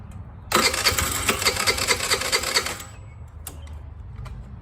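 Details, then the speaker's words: Discarded TaoTao 50 Chinese scooter, first start after readjusting a badly set throttle cable linkage: catches and revs raggedly with uneven popping for about two seconds, then stalls; owner suspects a fuel supply problem, not confirmed. "So it runs, it's just not getting fuel. It seems like it is struggling to get fuel."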